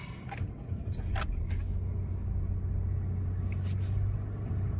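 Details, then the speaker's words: Nissan Almera that stalled at idle as if out of fuel, after replacing blackened spark plugs: starts quicker and easier than before, low even idle settling fast with no misses or stumbles. "รอบนี้สตาร์ทเปลี่ยนพอเฮเปลี่ยนหโเทียนแล้วเนี่ยสตาร์ทรู้สึกง่ายขึ้นรถติดเร็วขึ้นนะครับ"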